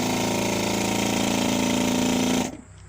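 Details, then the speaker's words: Electric brake-booster vacuum assist pump with canister on a classic car, powered and grounded by hand in place of its switch, running with its muffler fitted: fast, even buzzing pulse until cutoff; normal operation. "the pumps already got power and you'll hear the pump run with the muffler on it which is right here"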